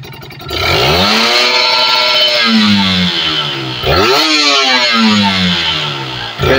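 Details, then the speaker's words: Kawasaki Ninja RR two-stroke after carburetor cleaning, vacuum membrane service and cleaning of power valve; two quick clean revs with crisp louder ringing note and no misses: normal revving. "Oke motor sudah lebih nyaring kayaknya suaranya"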